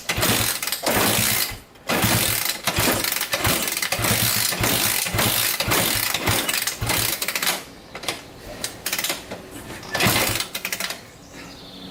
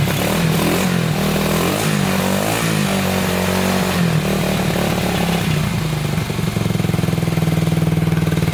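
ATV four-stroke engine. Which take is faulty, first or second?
first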